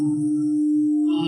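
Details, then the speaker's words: Large air compressor with star-delta reduced-voltage starting that won't start: a loud, steady electrical hum at one pitch, with no sound of the motor spinning up. Supply voltage is normal and the motor windings measure fine; contactor, wiring or a missing phase is suspected. "那是哪里的问题呀接触器的问题还是电线的问题或者说是我没看到问题还是说电机有问题电机缺相电机拉不动也会嗡嗡的响"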